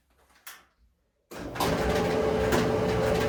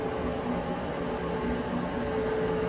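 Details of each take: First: Maytag electric dryer spinning empty, heard with the safety switch held in: loud rumble, steady hum, irregular knocks and rattles; owner feels it comes from the front end of the drum; cause not confirmed. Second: Maytag electric front-loading dryer after removing a zipper pull that caused thumping noise: even, steady drum hum with no thumps, scrapes or rattles; runs smoothly.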